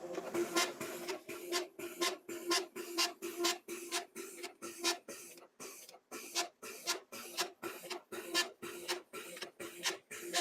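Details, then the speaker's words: Konica copier document feeder squeaks while feeding paper, rapid squeaky scraping about twice a second; front cleaning roller feels tight, bushing sleeve dry with some rust; fix is oiling the bushings. "not the front cleaning roller feels a bit tight put some more on the bushings try again after adding oil"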